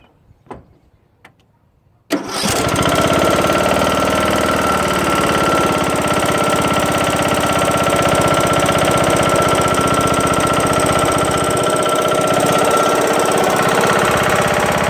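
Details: Briggs & Stratton engine on Craftsman LT2000 mower after broken camshaft and timing gear replacement, cover off: starts and runs loud and steady with repeated hard knock, plus some power loss; cause unknown, owner suspects something hitting.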